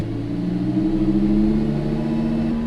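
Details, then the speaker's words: Lamborghini Huracan/Audi R8 V10 after oil change, at operating temperature, held at 2000 rpm for about 30 seconds, oil pressure rising to about seven bar: smooth steady hum, no knocks or rattles; normal running at raised idle. "it's been another minute of it idling it's up to operating temperature oil pressure is good i'm going to hold it at 2000 rpms for about 30 seconds"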